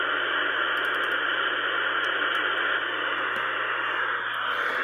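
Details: Ten Tec Pegasus transceiver after replacing an LM7805 on the DSP board and a relay driver chip on the filter board: steady even band static hiss with no signals, dropouts or crackle; receiver working normally on a quiet band.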